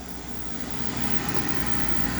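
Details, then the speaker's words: Thermo Pride Spirit Series 80% oil-fired furnace on a simulated call for heat, with the oil delay valve active: a smooth, steady motor-and-fan rush building evenly with no grinding or squeal, a normal prepurge before ignition. "I'm going to imitate a call for heat okay oil delay valve is in action now"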